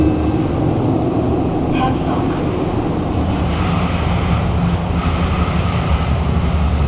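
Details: SMRT Kawasaki-CRRC Sifang CT251 metro train 2043, recorded in car 20433 at doors A5/B5 between Great World and Havelock: steady rumble at speed with heavy low thumping under the rail roar from severe wheel flats; loud screeching reported when braking.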